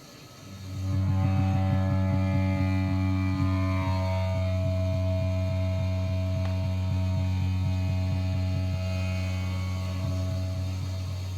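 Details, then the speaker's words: Whirlpool gas water heater, about four and a half years old: a loud, deep droning hum with rapid pulsing flutter every time the burner fires, a problem for a couple of months; the manufacturer blamed the burner, which needed replacing. "a couple month ago it becomes to make a very loud vibration noise every time the burner comes on like this"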